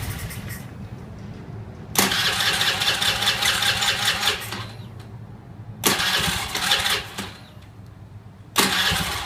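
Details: Honda Zoomer X scooter, hard or no start, battery drained by the customer: three bursts of fast starter whirring, never catching; the fuel pump motor runs at key-on but it still won't start; cranks but will not start.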